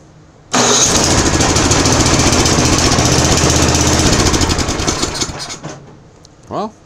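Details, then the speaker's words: Murray Pro 30-inch two-stage snow blower, 10 hp Tecumseh, sat a few years on old fuel, primed, choked, at two-thirds throttle: catches instantly, runs hard briefly, dies when the choke goes one notch off. Carb not pulling fuel, needs cleaning. "fired right away as soon as i put the choke one knob off or one notch off it died"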